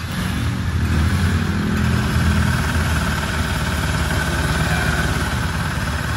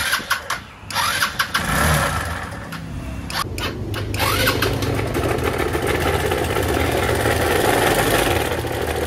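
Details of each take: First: Rusi Rapid 150 scooter, GY6-type 155 engine, after head rebuild and replacing noisy parts (camshaft bearing suspected), started after repair: steady idle with soft, even low putter, no knocking or rattling; normal idle. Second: A noisy Rusi Rapid 150 scooter engine starts and settles into a harsh, gravelly running noise that seems to come from the head; a worn camshaft bearing is suspected from the sound.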